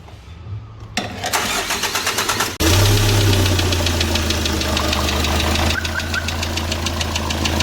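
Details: Hyundai D4CB diesel after break-in: engine catches, then a sharp regular knock, about three a second at idle, over the diesel clatter; a broken oil-cooling jet is hitting the piston, which shows a strike mark.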